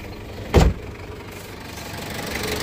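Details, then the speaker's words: Ford Everest 2.5 TDi 4x2 manual, 2005, turbo-intercooled diesel with mechanical injection pump, conventional injectors and no OBD: a short thump, then a low, even idle with a steady beat, no knocks or misses, said to sound like an L300. Normal healthy idle. "suara mesinnya begini ya mirip-mirip L300"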